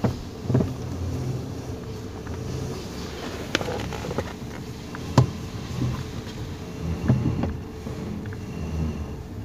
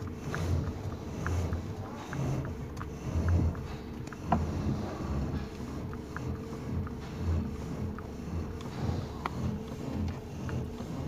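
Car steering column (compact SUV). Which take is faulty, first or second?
first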